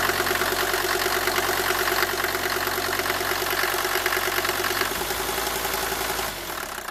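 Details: Mercedes W124 250T diesel, 245,000 km, cold idle with rattly uneven clatter around three beats per second, after head gasket and valve stem seal replacement; cause unclear.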